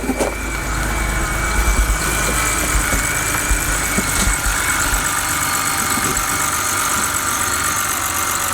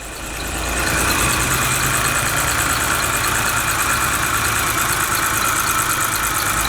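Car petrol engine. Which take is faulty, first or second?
second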